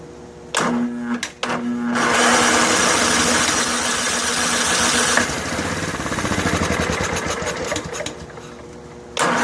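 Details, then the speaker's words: Snapper SR1433 rear-engine rider, sat 8 years, fuel line primed into filter: several cranking pulls, then ragged uneven running a few seconds before dying; carburetor fuel delivery fault, later found needle badly stuck in seat. "Go back into hyper starter mode here. Still not much fuel."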